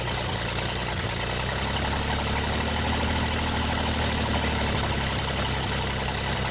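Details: 1960 GMC 305 cu in V6 at first start after manifold work: smooth, steady idle with an even low thrum, no misses, knocks or smoke; normal healthy idle. Owner notes it probably needs a front seal.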